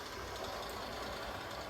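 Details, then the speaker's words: Walthers Trainline Soo Line FA-1 model locomotive running on track after 20 minutes each way: faint quick gear-mesh ticking over the motor whir, louder with speed; persists without shell, gears suspected, not replaced. "definitely gets a bit louder the faster it goes and I have checked nothing is vibrating nothing's hitting the shell I ran it without the shell it was still ticking so the Shell's just amplifying the sound"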